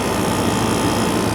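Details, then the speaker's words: 1982 Emerson Quiet Kool 7400 BTU/hr air conditioner, a dump find putting out about 50° air: an even, steady compressor hum with a low drone and no knocks. It is pumping its charge normally and drawing modest power. "um definitely you can hear it's it's pumping a charge because uh you can hear that like the charge compressive noise"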